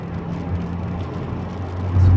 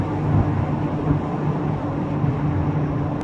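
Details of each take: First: Rear wheel bearing on a VW Golf Mk3 cabriolet after replacing the worn one, road-tested at speed: only a low, even road hum, no whine or grinding growl, much quieter than before; the bearing sounds good. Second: VW Golf MK3 Cabriolet driving at about 55, also coasted in neutral to rule out the engine. A droning hum tied to road speed under the road rumble, its pitch changing with speed: rear wheel bearing whine, to be replaced.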